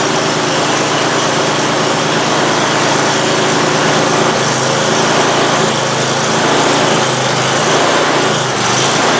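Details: Free Simplicity snowblower, small single-cylinder engine, started after fixing an oil leak and refilling oil and gas: steady, even fast patter with no misses or knocks; normal running.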